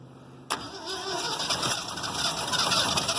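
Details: New Holland 1400 combine with Ford 300 engine, first start after engine repair and spark plug wire fix, firing order corrected; starter spins steadily with uneven chuff but never catches; carburetor suspected stuck; cranks but will not start.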